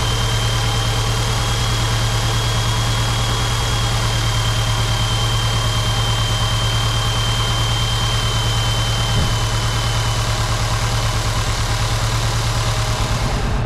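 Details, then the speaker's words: Seat Cupra 2.0 TSI CJX petrol four-cylinder rebuilt with forged internals, first start, cold and warming up: even, steady idle with smooth regular beat, no knocks or ticks, oil pressure good; normal idle. "tourne ça tourne c'est déjà pas malin on va laisser de monter un petit peu en temp"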